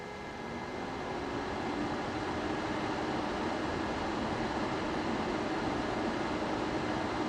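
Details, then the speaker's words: Juniper router on a -48 V supply, fan cage that made a strange noise at first power-up, repaired with superglue gel and reinstalled: a steady even fan rush with constant hum and no ticking, rubbing or bang; normal fan operation. "beautiful so I don't know if you could hear we didn't hear a bang and it seems to read running great"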